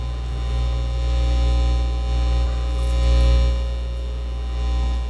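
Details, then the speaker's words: Dual CS430 turntable, nothing playing: loud steady low hum with a buzzy edge that changes as the audio output cable is moved; mains hum caused by a broken ground wire in the output cable. "So I've got a broken wire here. Well, it definitely sounds like it's a problem in the audio output cable, because as I move the cable it tends to of course if I take the ground off, now it's not going to do it."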